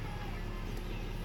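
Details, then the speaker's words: 2006 Nissan Tiida/Versa C11 after fuel pump replacement: smooth, even low rumble with no misses, knocks or whine from the pump; engine idles steadily, pump running fine, normal idle. "hear the pump running all looks good"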